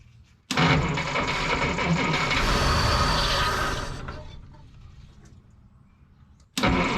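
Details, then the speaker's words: 1955 Willys Jeep wagon flathead, with gas leaking from the carburetor bottom: ragged sputter that fades, then catches again; sounds funky and won't keep running. "she's trying to run H something sounds kind of funky well she's trying to run fellas something does not sound happy though"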